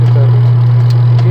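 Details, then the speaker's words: Toshiba twin-tub washing machine with spinner: after the faulty wash timer was replaced, the wash motor runs smoothly in both directions. Steady low even hum with no knocking or grinding; normal motor running. "یہ دیکھیں ابھی یہ motor چلنا شروع ہو گئی اور آرام سکون سے چل رہی ہے، یعنی ابھی دیکھیں کوئی مسئلہ نہیں کر رہی، ابھی دونوں سائڈوں پہ گھوم رہی ہے،"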